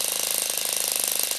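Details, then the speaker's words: Saito FA-40 glow-plug four-stroke model engine running: a fast, crisp, even crackle from the exhaust at steady speed with no low rumble. The sound comes from hot gas not fully expanded in the power stroke; normal running. "There is an audible sound coming out of the exhaust manifold caused by the hot gas which is not completely expanded during the power stroke."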